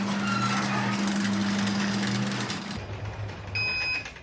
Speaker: beautiful that's exactly what I want now I'm not touching the buttons it's doing this all by itself